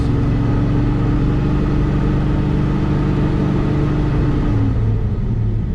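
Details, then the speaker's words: 1971 Chevelle SS454 big-block, cooling fan with thermal fan clutch, after fitting a smaller crankshaft pulley to raise water pump speed; at 2600–3500 rpm a heavy roaring drone like a jet engine, then a squeal, fans louder than the engine. "it sounds like a bus that's 2600 rpm and it sounds like i'm driving a jet engine 3000 3500 and then i get a squeal even like no joke about it the fans are louder than the engine"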